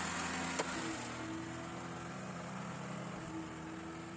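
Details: Lada 1500 running evenly with a faint thin whine riding over the engine and one sharp tick. Bad alternator.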